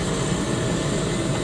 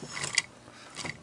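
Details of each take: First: Honda TRX250X barn-find engine, torn down and not running: a steady airy hiss of air rushing past the valve seats, with debris under both intake valves. The intake valves leak and need a valve job and reseating. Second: Barn-find Honda TRX250X engine on the bench, head off, suspected locked or jumped timing, valves need seating: two quick recoil pulls with crisp ratcheting whir and clean pawl click on rewind; recoil starter working normally, engine turns.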